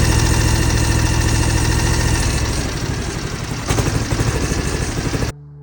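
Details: 2006 John Deere X720, about 722 hours, after an hour of hard mowing: uneven V-twin idle with a lumpy skip about three times a second, right cylinder misfiring; persists after plug, coil and injector swaps, right plug fouled black, cause unknown.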